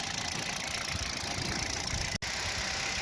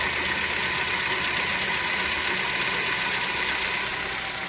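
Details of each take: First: Kia Rio 3 1.6 at 75,000 km, run with the pump belt removed after a knock traced to the pump, not the pistons or catalyst; steady even idle with no tapping or knocking: normal idle. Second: Kia Rio 3 1.6, 75,000 km, at idle: light, even knock about four times a second over engine hum, traced to the power steering pump, not pistons or catalytic converter; knock disappears with the belt removed.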